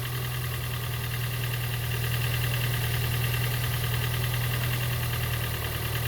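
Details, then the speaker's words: Gen 2 Toyota Prius 1.5L hybrid with codes P3190, P0A0F, P3000 and P0A80, engine running after a cold no-start: uneven loping beat of about three pulses a second with a deep hum. Diagnosed low compression; turned by hand, it gave very little resistance on the compression stroke. "So that's the reason it's not uh starting. And also when I was spinning the engine by hand, it was giving the engine was giving very very little resistance on compression stroke."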